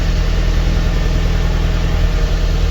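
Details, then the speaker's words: Lada Kalina 1.6, used replacement engine, slightly warmed, coolant boiling and missing: uneven lumpy idle with skipping exhaust beat, misfiring; check engine light flashing, diagnostics flag cylinder 2, low compression suspected there, possibly head gasket. "Ми також чуємо вже пропуски по діагностиці у нас пише другий циліндр тому компресії Скоріш всього нема в другому циліндрі А тепер точно чути що він троїть"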